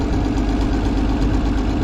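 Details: Minneapolis Moline A4T tractor on a shakedown drive down the road. A rough, steady idle carries a fast, even ticking from an exhaust manifold leak on one side.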